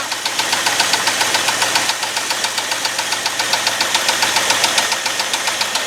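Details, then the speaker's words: 1989 Ford F250 5.8L V8, abandoned truck restored, after fixing battery and fuel injector wires: loud, steady idle with an even, quick exhaust beat and no rattle or knock. Normal idle. "all right it actually sounds like a normal engine for once you do"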